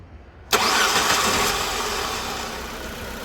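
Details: Nissan engine after fixing a faulty rear window heater relay that caused a dead marker light: quick crank catches at once and settles into a smooth steady idle; starts and runs normally, no fault codes.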